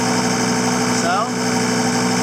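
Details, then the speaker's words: CT332 diesel after a simple oil leak repair, with the muffler removed and the pipe cut out: a steady, even idle with a faint turbo whistle made louder by the missing muffler; no misses or knocks, healthy. "Now you can really hear that turbo with that muffler being removed."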